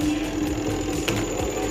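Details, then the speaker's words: Amazon Basics semi-automatic washing machine, spin dryer not working, fixed by shorting and taping the two sensor wires: steady humming whine with light regular ticking, smooth and even; spin motor now running normally. "ನೋಡ್ಬೋದು, spin work ಆಗ್ತಿದೆ ಈಗ."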